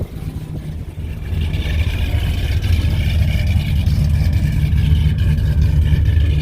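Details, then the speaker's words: Whipple-supercharged, cammed Ram 1500 Hemi V8, not a full cold start, before new MBRP catback: deep lumpy idle swelling with revs, loose tinny rattle from the blown-out muffler. "it's not a full cold start but you can hear the rattling coming from the muffler it smells like crap"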